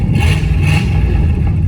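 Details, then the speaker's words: Rebuilt 1965 Cadillac Coupe DeVille V8, timing set to 8 degrees advance, running without exhaust: raw, loud idle with uneven, lumpy beat and slight stutter; owner suspects carburetor adjustment needed after the exhaust removal. "She sounds pretty good though. Little bit of stutter. You can hear her there. But she lives."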